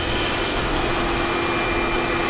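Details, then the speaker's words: Salvage car at auction started after a slow catch, low tire, fuel and ESP lights on: smooth, quiet steady hum with no knocks, misses or hunting; normal idle. "she's actually running really well it's very quiet"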